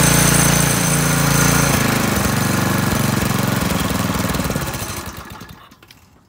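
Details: McClane 3.5 hp edger with Briggs and Stratton single-cylinder engine, revived after years sitting, fast throttle with choke: steady fast even popping, then winding down at shutoff; runs cleanly.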